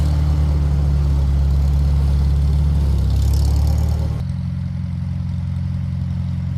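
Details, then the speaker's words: Farmall Super M-TA gas tractor, cold start in the 40s °F with a little choke, no starting aids, choke then off, with an added finishing-touch modification: deep, steady, even idle thump, no knocks, misses or rattles; healthy, thunderous. "I also added this on here, just a little finishing touch. Sounds good, thunderous."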